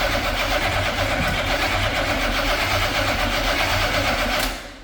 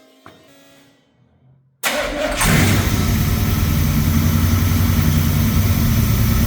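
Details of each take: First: C50 truck V8 after installing a Kill Shot EFI fuel system; the starter churns steadily for several seconds with no catch; owner suspects distributor timing may be 180° off, though the cause is no fuel delivery. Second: V8 in a C50 build just fitted with an Aces Kill Shot EFI system, untuned, after distributor timing was rechecked; short crank then steady even rumble for about ten seconds: normal start and run.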